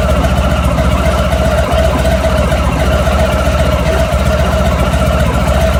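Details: Honda ST1100 motorcycle at idle: loud steady idle with a metallic rattle repeating a few times a second over the low drone; engine rattle, source not yet found.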